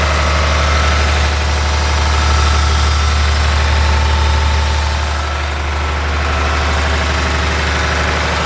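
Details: John Deere 850J dozer diesel after second rebuild, run outside: deep, steady idle at an even beat with no knocks or odd noises; no leaks, all normal.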